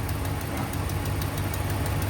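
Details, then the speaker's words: 2016 Ram 1500 5.7 Hemi, cold idle after sitting overnight: fast crisp ticking at firing rhythm from the suspected passenger-side exhaust manifold; quiets once warm, possibly aftermarket manifold; manifold gasket leak, a bottom bolt's head threads later found stripped. "it might be due to aftermarket headers or manifolds or something like that. But it's definitely got a manifold leak coming in right here."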